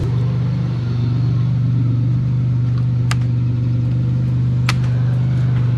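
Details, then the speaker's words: Pontiac Bonneville 3800 V6, previously misfiring, driven after new spark plugs: smooth, constant low drone with no stumbles, bangs or shaking; normal running. "You say it's not shaking. No, it's actually chilling right out."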